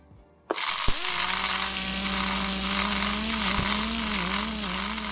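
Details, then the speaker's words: Playback from a DIY 3D-printed open reel-to-reel tape machine gives only a low warbling hum with wobbling pitch over hiss and no recorded material: electrical interference from the drive motor. "it does sound pretty awful and it's nothing but interference from the motor"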